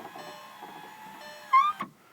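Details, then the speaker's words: 2001 Audi TT MK1 door, panel off, after un-jamming and lubricating the window motor/regulator: thin motor whine then sharp rising squeak near end of travel, suspected dry window track to be silicone-lubricated; power window squeak. "actually it doesn't sound all that good so I'm going to also lubricate while I got the door panel open that track get some silicone in the whole track get rid of that noise"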